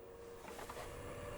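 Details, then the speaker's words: Muliap KJ150 H13 HEPA air purifier in sleep mode: a soft, even airflow hiss with a faint low hum and no rattles, a lot quieter. Normal fan operation. "Oh, sleep mode. Sleep mode. That is a lot quieter."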